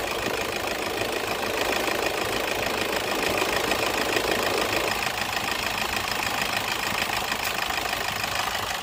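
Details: Toyota engine at idle during an AC compressor clutch magnet assembly repair: even, steady idle with a rough but constant texture and no clicking or cycling from the compressor; sounds normal.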